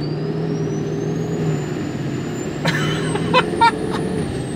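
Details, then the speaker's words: 1999 Ford F350 dually diesel, nearly 300,000 miles, Banks parts and AutoMind tune fitted for efficiency and no coal rolling, driving: pulls hard as a high turbo whistle climbs steadily with revs, sounding like a semi; normal turbo spool. "It'll be better on fuel and hopefully be a little bit more quiet and livable day to day, because I actually want to daily drive this for a little bit. You can already hear the turbo a little bit."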